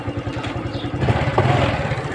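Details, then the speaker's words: Honda Wave 110i after the cam chain and chain roller repair; now quiet, and the tensioner can still be replaced later if it fails. Steady, even low single-cylinder thump with no rattle or clatter, chain noise gone: normal idle. "ครับเงียบแล้วนะครับแต่ถ้าตัวดันโซ่กระบอกดันโซ่เนี่ยทำเสียเราก็เปลี่ยนทีหลังได้นะ"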